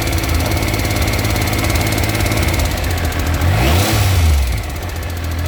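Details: 2000 Triumph 955i Sprint, about 105,000 km, valves serviced: light fast ticking follows engine speed at idle and on blips. Replacing the cam chain did not cure it; tensioner not replaced; top-end tick, source unknown.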